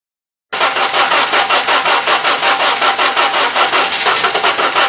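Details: Honda GX engine running on CNG natural gas in cold weather; starter cranks steadily at roughly three turns per second for the whole clip without firing; hard cold start with long cranking.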